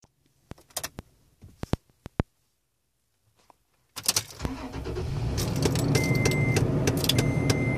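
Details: 2011 Toyota Tacoma at start-up: keys and clicks, then the engine catches and a loud rushing whir with short high squeals comes from the dash.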